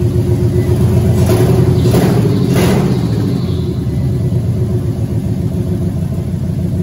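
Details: Rebuilt Cadillac Escalade LQ9 6.0 V8 with ported 862 heads, 10.5:1 compression, LS6 cam, first brief fire with no cooling, 50 psi oil pressure: rough lumpy low idle with blips; one bank's plug wires unplugged, running on four cylinders.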